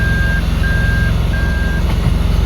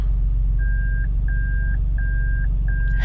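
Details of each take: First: 2002 Toyota Land Cruiser Prado, 5VZ engine, freshly overhauled, idling with reverse selected by the shifter: steady high beeps about half a second long repeating roughly every 0.6 seconds; normal reverse warning buzzer, confirming the shifter-to-meter wiring is good. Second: 2002 Toyota Land Cruiser Prado, freshly overhauled, idling fine: pressing the brake without touching the shifter sets off four even high beeps repeating every 0.7 seconds; false reverse buzzer triggered by the brake. Cause not yet found.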